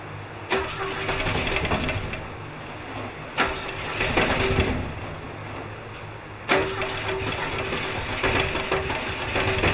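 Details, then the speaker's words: Four-cylinder car with a spark plug lead left off: lumpy, uneven running with stumbling beats and surges on 3 cylinders; misfire on one cylinder. "Shut her off. We're running on 3 cylinders. That sounded rough. Thought it was a little odd."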